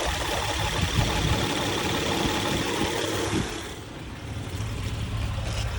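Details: Engine idling after hydraulic tensioner replacement: steady, even idle with smooth low hum, no ticking or rattle from the chain area; earlier noise gone, healthy.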